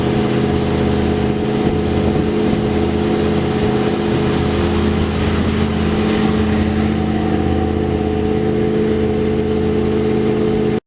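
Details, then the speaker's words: 1973 Lincoln Continental with previous owner's aftermarket dual 3.5-inch exhaust, at idle: deep steady even idle, loud booming exhaust, no knocks or misses; healthy engine with loud dual exhaust. "but it was modified from the previous owner with dual exhaust three and a half inch pipe so it's loud"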